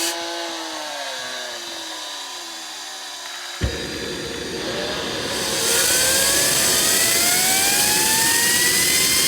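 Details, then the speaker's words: JetCat RC jet turbine before repair, auto-start failing so started by air assist: falling whine, sudden light-off roar, climbing spool-up hiss; high idle exhaust temperature from failed starter clutch, worn bearings and starter rubber, turbine blades rubbing a deformed, cracked NGV. "High idling exhaust temperature Turbine contact mark Worn starter rubber"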